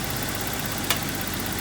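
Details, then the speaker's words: BMW E30 idling after new distributor, plug wires and spark plugs replaced for earlier misfire and stalling: steady even idle with a smooth low hum, no stumbles or misses, no longer bogging down. "oh yeah not bogging down anymore nice"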